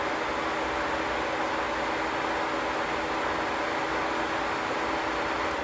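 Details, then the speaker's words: 1986 Ford Mustang SSP, sat since 1996, newly wired electric radiator fan with inline fuse, switched on and off: smooth, constant rushing whoosh with even hum and no rattle or wobble; normal fan operation. "theoretically, now I should have an electric fan. Theoretically. Please don't immediately blow the fuse. Yeah! Beautiful. On and off with the switch. That sounds good"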